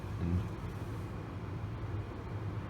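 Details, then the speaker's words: 2010 Chevy Equinox after replacing the faulty hot/cold blend door actuator and resetting via the fuse, with the knob turned to cold. Steady blower hum that changes as the door moves, and no clicking from the dash. "we don't hear any clicking now and I can you can hear the difference though in the blower with it changing with it moving so this was a a success"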